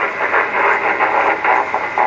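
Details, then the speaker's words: Vintage parts-radio ham rig after repairs (VFO coil replaced, cracked PCB and bad solder joints fixed), volume up; warbling muffled audio with syllable-like bursts but no clear words; receiver hears a station but garbled. "you can hear it trying to receive someone talking, but it just ain't able to do it. Nope, just won't receive them. It's there, but very garbled up."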